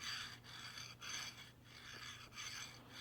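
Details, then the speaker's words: New LM8LUU linear bearing, Y-axis upgrade on Wanhao Duplicator i3 V2 3D printer, dry fit on rod: soft even hissing strokes about every half second, no clunks or catches; smooth linear bearing. "It's just real smooth motion, so happy with that one. We'll call that a good candidate."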